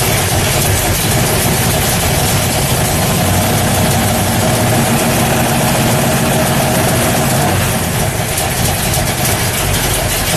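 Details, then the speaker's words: 1964 Ford Fairlane V8 idling cold with different heads and cam: fast, sharp puffing tick over the rumble from an exhaust leak at a leaking header gasket on one side; the header needs more work. "so okay you can really hear it when it's cold there's still an exhaust leak on this side the header needs more work i do know this gasket is leaking right here i can feel it"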